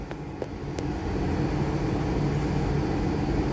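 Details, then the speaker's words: Motor on Danfoss VLT2800 VFD after servicing, cooling fan replaced, running at 41.41 Hz, airflow felt clearly: steady low hum with faint high drive whine coming up to speed, no knocks; normal run. "Okay, ഇപ്പോൾ motor running ആണ്. Okay, ഇവിടെ കൈവച്ച് നോക്കുമ്പോൾ ഇതിൻ്റെ flow നല്ല രീതിയിൽ അറിയാൻ പറ്റുന്നുണ്ട്."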